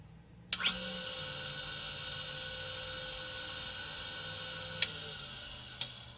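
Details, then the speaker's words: Rebadged Foley-Belsaw 1977 Wissota S8B skate sharpener, 2.2 amp motor with start and run windings, on/off switch: steady hum with sharp clicks as the centrifugal start switch kicks in and out, normal. "The motor here, when you listen to it, you can hear the centrifugal clutch kick in and out."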